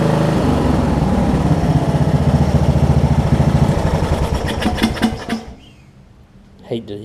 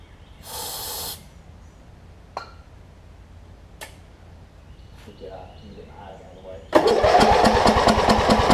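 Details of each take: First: Wizard (Craftsman-type) riding mower after fitting a new carburetor to replace the worn-out old one: even, regular thumping at steady idle for about five seconds, then shuts off cleanly; engine runs fine. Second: Wizard (Craftsman) riding mower with a worn-out old carb and a hit-and-miss starter solenoid, after carb cleaner spray: hiss of spray, then steady cranking at about 3.5 turns a second, never catches; suspected fouled plug or sheared flywheel key.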